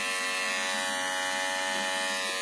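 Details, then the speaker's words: Noisy hair clipper after blade realignment and retightening: clean, even buzz with steady pitch and no rattle or chatter; noticeably quieter than before the fix. "jadi suaranya lebih kecil dibanding sebelumnya ya"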